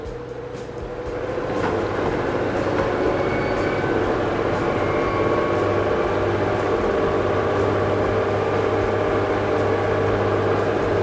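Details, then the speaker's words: LG 8 kg/5 kg inverter washer-dryer combo with direct-drive motor, display possibly water-damaged, quick-test mode with door locked: smooth steady hum ramping toward the 1400 rpm maximum spin, no knocking or grinding; motor fine, normal drum spin. "Door already got locked. Now drum start to work. Motor, that's mean motor actually it is no issue. Yeah, increasing RPM you can see with the Q test."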